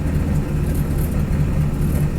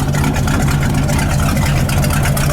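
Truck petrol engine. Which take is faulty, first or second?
second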